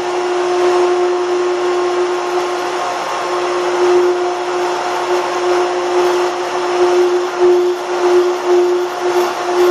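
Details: Automatic pool pump motor after priming trick (main drain valve opened as pump clicks trying to prime): steady motor hum with constant mid-pitched tone and flowing water hiss, no surging or gurgling; pump primed and running.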